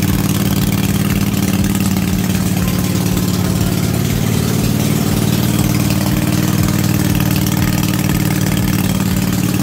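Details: Cub Cadet RZT-50 zero-turn mower, revived after years unused, crankshaft seal replaced and freeze-damaged carburetor swapped for an aftermarket one: steady, even low rumble with no misses, knocks or surging; normal idle.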